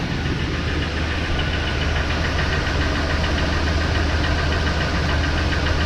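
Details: 2004 Ford Expedition Eddie Bauer 5.4L 2-valve V8 at idle: steady low knock about three or four times a second over engine hum; owner suspects piston slap, same noise on another Expedition, unconfirmed.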